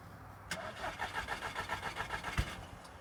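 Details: Scirocco that cranks but won't start or stay running, draining the battery: steady starter churning at about four beats a second for two seconds, no firing at all, then it stops; crank, no start.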